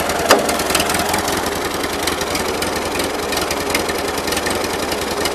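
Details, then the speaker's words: 1941 Ford 9N tractor: uneven, loping idle with irregular knocking beats and a clattery top end. Runs on all four cylinders under load; owner suspects carburetor or ignition, cause not found. "he always sounds like the cylinders are just polluting there's something I don't quite know how to explain it"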